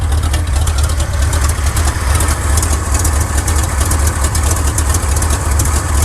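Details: 1979 Chevrolet C10 Custom Deluxe, after reassembly: deep uneven idle with a lumpy, stumbling beat about two per second, worsening; multiple-cylinder misfire, cause not yet found.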